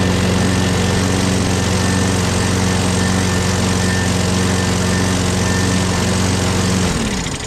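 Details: Craftsman 6.5HP Briggs Quantum FWD mower after magneto replacement and carb clean, primed and electric-started: steady, even low drone at constant speed for about seven seconds, then a clean wind-down. Owner notes an unexplained clanking and priming needed each start.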